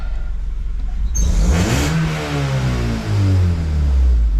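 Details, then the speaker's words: Honda Civic daily driver with a cylinder 2 misfire, after refitting the original coils, clearing codes and an idle relearn: engine revs climb smoothly through quick blips and drop back cleanly, no misfires, idle settling where it should. "just fine. No misfires. Stops it idle where it needs to."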